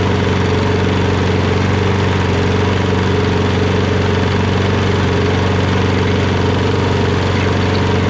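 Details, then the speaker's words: Poulan 22-inch self-propelled mower with Kohler XT675 engine, after a quick carburetor bowl clean: steady, even idle with a smooth regular beat, no stumbling or surging; it now runs on its own. "woohoo as you guys can see it now runs great it runs great it runs on its own and all we did was a quick and dirty to get it going right"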